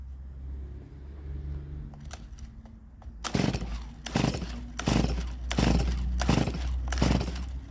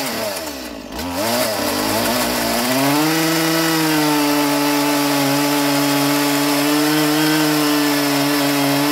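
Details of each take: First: Stihl MS170 chainsaw, a roadside find not started in years. Six quick pull-cord bursts about three-quarters of a second apart turn it over, but it never catches because no fuel is in the system yet. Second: Stihl MS170 roadside-find chainsaw, first run in years with a filthy, uncleaned carburettor, cutting timber. Revs climb then hold a steady high buzzing whine, pitch even under load; pulls strongly.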